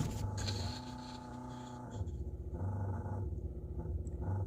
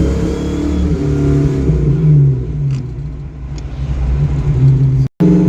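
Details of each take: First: Carbureted Mustang project car after timing and carb experiments: rough, low growl surging and fading as the fuel pump cuts in and out, stalling from lack of pressure; the pump later leaked with no line pressure and burned out. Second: Ford Mustang project car with carburettor and ignition timing adjusted and vacuum advance locked out, driving: engine revs up cleanly and strongly, drops back and pulls again with crisp throttle response; pretty decent response, running better than ever.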